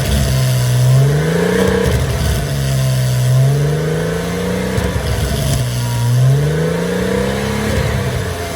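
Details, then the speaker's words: Porsche Boxster 986 with eBay aftermarket exhaust, just after dB killer motorcycle inserts were screwed into the tailpipes to cut drone; recorded from a short distance, about three revs with a raspy, tight note and little lingering boom; normal exhaust note. "that sounds different. It's got more of like a raspiness to it, which is good, I think. What the biggest difference is that drone."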